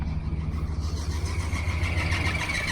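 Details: 1981 Chevrolet Silverado V8 just after start: high squawking chirp over the low rumble, climbing slightly in pitch, harmonic balancer visibly wobbling. A belt is slipping on a faulty pulley; AC compressor or alternator is suspected.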